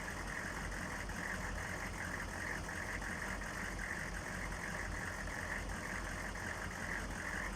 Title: 6.5 turbo diesel rough idle